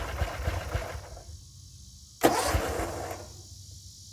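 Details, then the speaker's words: Gravely 34Z commercial zero-turn mower on jack stands, choke on, after drive and blade belt replacement: uneven cranking chuffs, a short burst, then nothing. Engine turns over but won't start; owner says it's unrelated to the repair. "something's wrong, and it isn't to do with anything I've done. The motor just doesn't want to start. It's trying."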